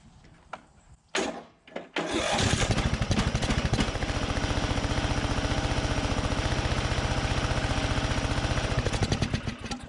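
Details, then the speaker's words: 2004 Craftsman DYT4000 riding mower, Briggs & Stratton engine, abandoned in a field, carburetor float apparently stuck: catches after a few cranks, runs with uneven chug then falters; owner suspects sticking anti-backfire valve draining the bowl too quickly. "bet that anti-backfire valve is sticking in there so it's letting the bowl fill up a little bit and it's draining it too quick"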